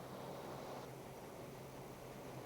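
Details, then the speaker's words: Engine with newly installed Autolite 4100 carburetor: idle mixture screw turned clockwise to lean the idle fuel, steady idle loses speed and softens, showing it runs too lean, so screw is backed out to fastest idle. "And as I rotate it in clockwise, I'm going to shut down the amount of fuel being discharged at idle, or lean it"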